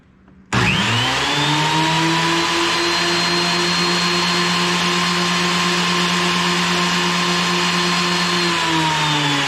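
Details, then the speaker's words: Wood planer just repaired with new parts, chains not as tight as before and temporarily set up, first power-on: motor spins up to a steady even hum with a clean high whine, no knocking or rattles; running smooth. "Now I've got it plugged in. Just going to turn it on and see if everything's turning."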